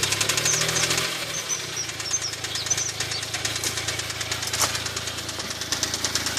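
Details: Smart Roadster at idle: sharp, light knock about three times a second over engine hum; owner was told it might be big end bearings, needing a crankshaft regrind or new crank; cause unconfirmed.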